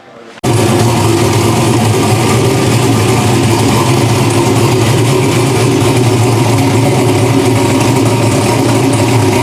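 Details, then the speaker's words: Drag race car engine after block swap, primed and fired first time: fires at once into loud, lumpy but steady run, no knocks or grinding, vitals good; normal running. "As you guys saw, it runs, makes some noise again. You know, vitals look good and everything."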